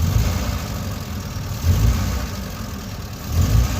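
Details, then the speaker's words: 2016 FAW XPV engine with check engine light on after a cam sensor replacement, accelerating: lumpy uneven misfire above 2500 rpm, possibly a clogged injector on one cylinder. "Missing कर रही 2500 RPM से ऊपर जो है ना व गाड़ी सही रेस लेती है"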